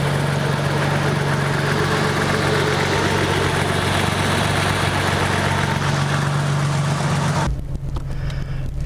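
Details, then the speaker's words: Toyota Supra, first start after four months of winter storage: smooth, even idle with a steady low hum and no knocks, misses or hunting. Normal healthy idle. "but it sounds like it's running pretty good in here there's a weird light I don't know why it has that but everything sounds good it looks good"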